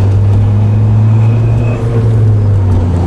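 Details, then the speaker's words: Ford Fiesta ST with a new tune, during data-logging pulls: faint whirring tone over the falling engine note each time revs drop from about 3,500 to 3,000 rpm; owner says it doesn't sound like the transmission, source unclear, possibly turbo related. "every time i drop like from three and a half to three there's this like whirring noise and it's not it doesn't sound like a transmission"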